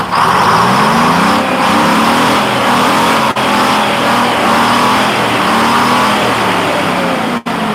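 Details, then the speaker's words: 1948 GMC Silversides PD3751 Greyhound bus, 6-71 two-stroke diesel after in-frame rebuild, first start after priming the dry head with fuel: loud, even clatter with a steady beat, no misses or knocks; smoother than it has ever started, normal idle. "I'm impressed. Runs smooth. Runs, that's smoother than it's ever started before, and it runs nice and smooth."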